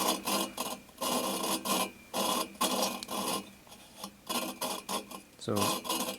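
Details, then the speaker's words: 1974 VW Super Beetle engine head, valve lapping by hand: gritty back-and-forth rasping in short bursts, grind softening and smoothing as valve seats; near complete. "kind of hear that's smoothing out think you should be pretty okay"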